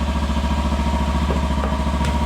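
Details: 2015 Kawasaki Ninja 300 race bike, after sitting for months and being revived with fuel system and fuel injector cleaning: even, steady putter at idle with regular firing pulses, no misfires or knocks; idles cleanly.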